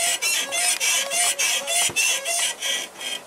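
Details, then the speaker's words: Toyota Hilux body rocked: sharp creaking squeaks about three a second from the leaf springs, caused by sand getting between the spring leaves; normal for Hilux, cured by dealer lubricating the suspension. "aqui é característica de Hilux. O que acontece? Entra areia nos feixes de mola e aí range mesmo. Isso é normal de Hilux, todas."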